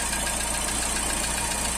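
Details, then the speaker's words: Astra brought in with oil light constantly on and lifters knocking from oil starvation, after servicing and revving: faint, quick, even ticking over steady idle, fading as lifters pump up; hydraulic lifter tick. "Já está parando de bater. Os tuchos já estão carregando."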